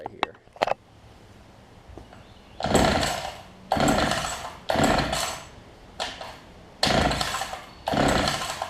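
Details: Older Homelite two-stroke hedge trimmer after new fuel lines and primer bulb, 40:1 fuel mix: short revving bursts about once a second, each catching cleanly and dropping back; running fine now.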